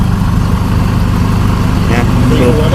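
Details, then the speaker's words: 2012–13 Chevrolet Colorado diesel with check-engine light, intermittent white smoke, stumbling, knocking and poor acceleration: a lumpy, unsteady idle clatter; stored codes flag injector faults on all four injectors plus an ETR motor fault. "วันนี้สตาร์ทขึ้นมานะครับมีควันขาวบางครั้งเครื่องยนต์สะดุดสั่นนะครับแล้วก็เขกด้วยบางครั้งก็เร่งไม่ขึ้นนะ"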